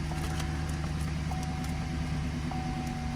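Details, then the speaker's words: 2011 GMC Sierra V8 driven after replacing worn, wide-gapped spark plugs and the plug wires, check engine light now off: a quiet, steady drone with no misfire stumble or rattle; running smoothly. "Ooh, it's running like a kitten. It's purring like a kitten now."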